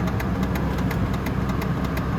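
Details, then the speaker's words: 2004 Chevy Trailblazer after sitting about two years: quick, even ticking about five per second over steady idle at start-up, under the dash; owner believes a failing HVAC blend door actuator, gauges dead. "it also has a weird ticking sound when you start it i believe it's just a blender door actuator for the for the hvac"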